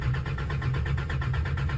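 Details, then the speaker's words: Farm diesel that died: cranks steadily at about eight pulses a second without catching; fuel pump still whines but no fuel reaches the engine; owner suspects the fuel pump rather than filters. "fuel pump still you can hear it whining getting going like normal no if it was filters you'd think it would try and start then con out again"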